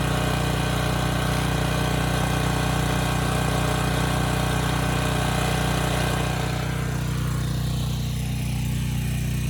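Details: Neglected Briggs and Stratton Storm Responder generator, bought as a parts machine, running smoothly after fuel line hookup. Steady, even drone without hunting; power output and engine speed are good and it holds its speed under load.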